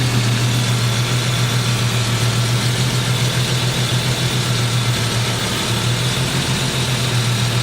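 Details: Jeep engine with a stalling problem, owner suspects the crank sensor or a ground: low idle with an uneven, stumbling beat and dips as two loose fuel injector connectors, on cylinders 1 and 3, make those cylinders go dead; misfire.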